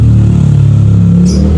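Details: Honda ADV 160 scooter unused two months; no-start was actually a dead remote battery, now replaced: short, steady low engine drone with even note, no knocks or misses; running cleanly.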